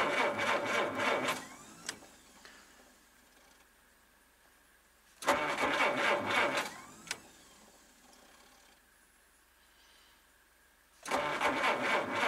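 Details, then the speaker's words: Old car in snow, cold, fired once then cranked repeatedly with pumping: fast steady cranking bursts with silent gaps, never catches; owner blames cold, fears flooding it and running the battery down; cranks but won't start. "well the cold has got to this car but we'll end up actually flooding it now and running the battery down"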